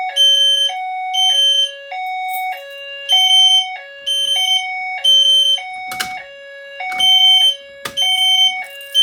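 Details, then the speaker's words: Notifier NFS2-640 fire alarm system test: after pulling a JCI JBG12LX pull station, System Sensor notification appliances sound 3000 Hz smoke-alarm-like tones alternating with a lower tone in a steady cycle, working properly. "You get ready to hear the notification appliances going in 3000 Hertz. It's going to sound like smoke alarms."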